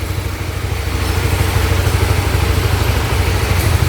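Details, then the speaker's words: Honda RS150, 21,000 mileage, after overhaul for a cracked piston (tensioner replaced first without curing a noise heard when revving): started with one press, smooth even idle pulses lifting with throttle blips, no knock or rattle; normal idle. "Kita dengar kita ram. Fuh, serius senyap, sepi, sunyi, syahdu semua segalanya."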